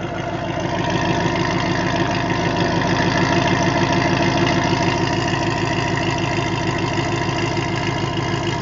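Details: 2005 Pontiac GTO V8 with SLP headers and Corsa Sport exhaust. Steady idle with a sharp, regular ticking puff on each firing pulse; owner suspects an exhaust leak at the headers, not confirmed.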